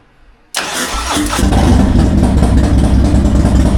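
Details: Fuel-injected Harley-Davidson that died and wouldn't restart (crank, no start), diagnosed with no fuel pressure and then fixed: silence, then it catches at once and settles into a strong, even, deep idle with no misses. Normal start and idle after repair.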